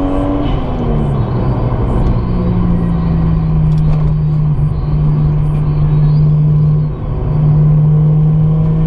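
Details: Toyota JZX100 with 1JZ engine driven on highway laps after earlier misfires stopped at about three minutes: the engine pulls cleanly and evenly under acceleration, tone rising with revs, no stumble or miss; running normally.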